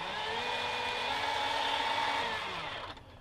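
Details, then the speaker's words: Sensored brushless motor in a waterproofed Axial SCX10 2012 Jeep Wrangler Rubicon, after about 10 minutes fully submerged, gives a smooth, steady high whine and a clean spin-down; it is fine now despite failing earlier when its sensor harness got wet. "more importantly the motor that failed yesterday uh with the uh the sensor harness getting wet that seems absolutely fine now"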